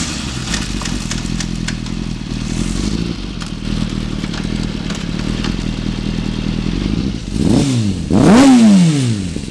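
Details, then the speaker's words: 2005 Kawasaki Ninja ZX-6R (ZX636) with an aftermarket slip-on exhaust: busy fast idle with light mechanical clatter, then two sharp revs climbing and falling cleanly; motor and exhaust sound good. "The motor itself sounds good. Exhaust sounds nice."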